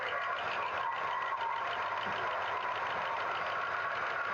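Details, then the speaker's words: 1963 Pontiac Star Chief V8 idling on its original tank during a plug-wire pull test: pulling number two makes no difference while four, six and eight are firing; uneven, lopsided exhaust; dead cylinder misfire. "that one made zero difference number two is definitely not running number four number four is running"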